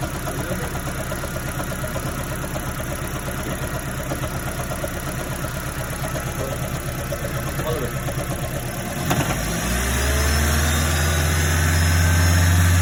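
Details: 2010 third-generation Toyota Prius petrol engine with a steady regular knock of about three beats a second, damage from overheating after the electric water pump failed (code P261B) and the driver kept clearing the check engine light.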